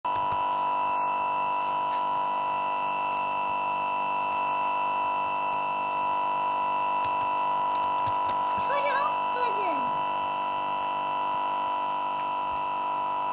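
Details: Newly bought Lenovo Yoga 2 11.6 laptop frozen and unresponsive: loud steady electronic buzz at one pitch; must press power button to restart; cause unknown.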